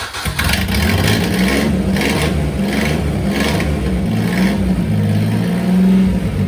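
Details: Daihatsu Hijet pickup, revived after sitting 5–6 years in a barn, driving out of the garage: steady, even engine note with no knocks, misses or rattles; running fine.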